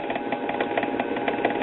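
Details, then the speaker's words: 1946 Espey 78 rpm record player during servicing: a steady mechanical rumble with a fast, slightly uneven throb about five times a second. The idler wheel is noisy; a wheel rebuild is not planned. "yes that our wheels got a little noise there again I'm not going to spend 30 something dollars for a wheel rebuild on this"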